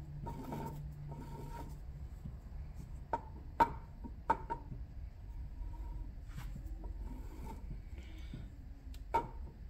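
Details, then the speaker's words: Club Car golf cart motor turned slowly by hand gives a dry, uneven scraping rasp with occasional clicks; slight bearing play is letting the armature rub on the inner electromagnet field pole, not the bearing itself. "so that little bit of play there with that bearing it's causing the rub there on that inner well electromagnet so yeah that's probably where it's from"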